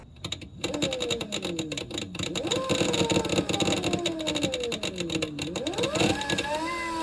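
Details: Electric motorcycle project (ELX600/SB 2.0, 96 V 10.3 kWh battery) running the old motor controller on stock PID settings during a motor sound test. The whine sweeps with throttle but sounds choppy and buzzy: motor roughness from a faulty controller.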